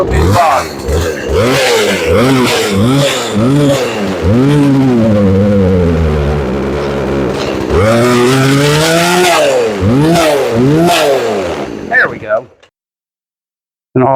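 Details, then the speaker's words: 18-inch Craftsman two-stroke chainsaw that previously wouldn't start, now running after repair with only the high-speed mixture being adjusted; screams up and drops back in clean rev sweeps, no misfire or bog. Normal running. "now we're going to start it and since the title is okay right out of the box it was idling nice we're only going to adjust the high side on it"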